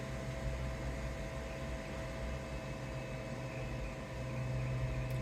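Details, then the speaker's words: AllPowers S2000 solar generator after a full-load abuse test: a steady soft fan hum with a faint whine over quiet room noise, still pronounced but steadily and evenly slowing down; the cooling fan sounds healthy, with no burning smell. "steadily slowing down you still hear the fan it's quite pronounced but it's steadily slowing down"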